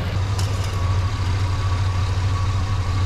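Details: 1970 Monte Carlo V8 idling after first start, whisper quiet, tach reading wrong: low even idle, steady beat, no knocks, misses or rattles; engine idling normally.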